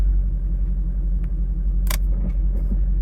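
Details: V8 fitted with an MSD/Holley power upgrade harness, idling while warming up with charging voltage at a steady 13.8–14.0 V: deep, even rumble with no knocks, misses or surging; normal idle.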